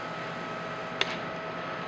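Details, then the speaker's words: Brewing system gas burner at startup: after enabling heat via controller switch, short pause then sharp igniter clicks over a faint steady hum as it tries to light; normal operation. "flip that switch on you have a short pause and you'll hear some clicking that's igniter trying to light"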